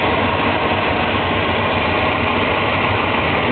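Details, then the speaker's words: 1989 Volvo 240DL wagon, five-speed manual, third owner, no leaks: steady, even idle with a smooth unbroken hum, no knocks, misses or rattles; runs nice, normal idle. "it runs nice though"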